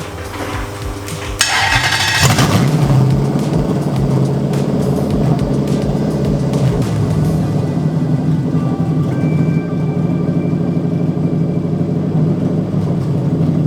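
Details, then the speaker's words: BMW E30 with V8 swapped in from a Lexus LS400, first start, starting on the key: deep, throaty V8 settling into a strong, even rumble after a sharp blip, no miss or stumble; normal running. "sounds like a different engine oh my God that that flame holy [ __ ] okay that's enough damn baby engine is running and it starts on the [ __ ] key"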